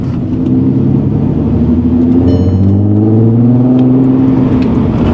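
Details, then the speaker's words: Crash-damaged VW Golf R32 after suspension rebuild, first drive: smooth even rise in engine note through first and second gear, pulling cleanly with no knocks or misfires; healthy engine under acceleration. "First, second. Oh, that sounds lovely. I've never driven one before."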